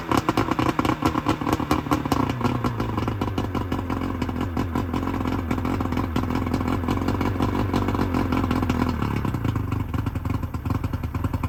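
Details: 1999 Bayliner Capri with 125hp Mercury outboard during rebuild, extra oil premixed in the tank, waiting for the thermostat to open: steady, even multi-cylinder idle with light mechanical clatter, smooth but slightly slow; runs cleanly, idle a little low.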